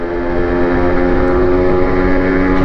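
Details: Honda NSR80 two-stroke on a test ride after head gasket replacement that cured coolant in the combustion chamber and misfire, main jet changed 145 to 140: steady crisp buzz, even pitch, no stumbles or surging, running cleanly with stable idle.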